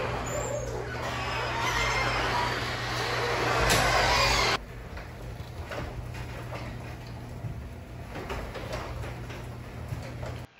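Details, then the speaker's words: Garage door after Blaster garage door lubricant was applied to the main spring and tracks: low, steady opener hum with only faint soft clicks; smooth and quiet where it was noisy and squeaky before. "I think this worked great you could definitely hear how noisy and squeaky and crickety everything was and how smooth it was after the application"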